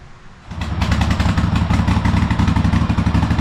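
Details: Cub Cadet Super LT1554 lawn tractor, 27 hp Kohler V-twin, 500+ hours, after head gasket replacement and new oil, fuel and air filters: catches, then uneven lumpy beat with slight surging; runs rough, owner guesses carburetor needs cleaning.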